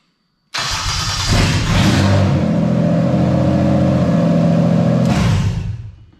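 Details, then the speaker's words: Toyota JZ engine with the MAF sensor installed correctly and wired properly: quick crank, catches at once, brief flare, then a smooth steady idle with no stumble. Normal start and idle as a baseline. "okay so you can hear everything is happy everything is fine no dramas"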